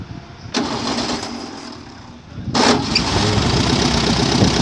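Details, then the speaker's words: Mini buggy with VW Beetle flat-four after carburettor fitted and adjusted: starter barely turns before it catches instantly and idles evenly, twice; slipping belt noted, ignition timing still to be set with timing light. "tá sim ó beliscou pegou né pode desligar o Oi pode ligar de novo é só no beliscão"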